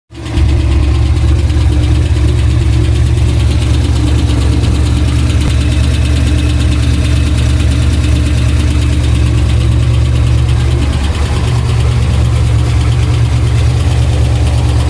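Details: Pontiac Trans Am V8 idling with loud steady rumble and uneven deep tapping knock; ticking turned deeper, heard all around the engine, oil pressure erratic; owner suspects crank, not confirmed.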